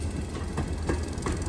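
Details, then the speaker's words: Air line drain (fitter) valves on a freight train, ticking and spitting about every third of a second over a low rumble as they blow moisture out of the lines; normal operation. "Those fitter valves that that ticking you hear it spitting sound, that blows moisture out of the lines. Helps prevent water damage."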